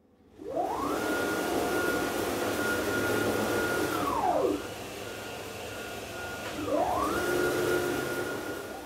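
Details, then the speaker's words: Aluminum-frame CNC router, run about 8 hours a day for over a year, after replacing straight-tooth racks and gears with helical ones: a clean motor whir rises, holds and falls as the gantry moves at 10–20 m/min, with no gear chatter. Quiet rack-and-pinion drive. "as you can hear almost all mechanical noise is gone and the Machine is smoother this also means that we can run the machine at higher speeds without much mechanical noise"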